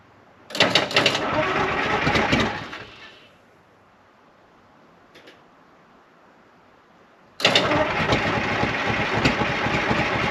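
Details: 1975 International Loadstar 1850 Detroit two-stroke diesel, first start after rebuild with blower fixed, idle setting unknown: two long bursts of choppy, uneven cranking with a silent gap, never catches; slow to start, cause unconfirmed, owner thinks it needs a little more.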